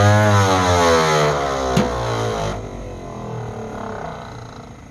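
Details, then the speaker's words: 1948 Ford F5 bus abandoned 25 years: slow starter grinding about two turns a second, sagging lower and quieter without catching; owner suspects a weak battery, considers running a charger while cranking; an earlier attempt backfired. Extended cranking, no start. "I don't know why it's cranking so slow. I might need to get a new battery on this thing."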